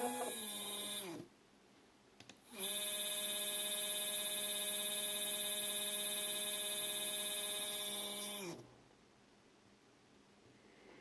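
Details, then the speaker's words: Two 3D-printer stepper motors wired in parallel sharing 2 amps give a loud, steady buzzing whine with a ladder of tones while turning, then stop abruptly; loud stepper motor noise, quieter at maximum speed. "okay now they are turning you can already hear that they're allowed foreign [Music]"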